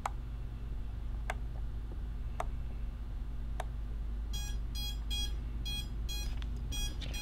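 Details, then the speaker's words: Quad with untuned FrSky-style receiver on Jumper T16 Pro multi-module during frequency tuning: low hum then bursts of high chirping beeps from the motors in lost-model beacon mode, receiver signal lost at about -75 offset. "so you just say yeah that's what's beeping over here motor speed yeah yeah alright basically buzzer mode lost motor lost beacons sit on"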